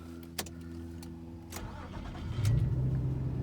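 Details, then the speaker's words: 2004 Nissan Xterra SE 4x4, 3.3L V6: short crank, then it catches at once and settles into a steady, even idle; a normal start. "All right, and as you see, starts right up, no issues there."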